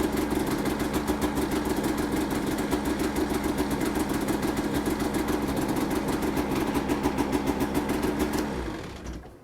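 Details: Polaris RMK snowmobile that ran last season but would not start this year; the owner suspects a dirty or bad connection. A fast, even two-stroke buzz holds for about eight seconds, then dies away. It starts and runs.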